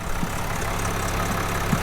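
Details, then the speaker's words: Crash-damaged 2021 Land Rover Defender diesel, about 62,000 miles, oil checked, jump-started from a dead battery and catching first time; even, steady low diesel clatter at idle, smooth rhythm, no misses or knocks; normal idle. "Oh, First time. smooth. Very smooth. That runs well smooth."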